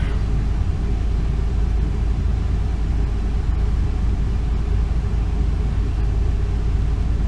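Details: 2002 Ford Econoline E350 van, 5.4 Triton V8, just over 100,000 miles, P0351 code and rough running; after new spark plugs and one coil pack for a miss: deep, even rumble, steady with no stumbles or skipped beats, smooth idle without misfire.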